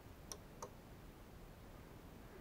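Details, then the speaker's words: Remote-controlled 12V relay box: two crisp relay clicks about a third of a second apart over a low hum with nobody touching the remote; relays A and D are switched by high-frequency interference from a Flir camera. "You hear it clicking? Yeah, this, it seems that my camera has some high frequency noise that lets the thing go crazy. Not touching the remote control, it's just switching from the camera."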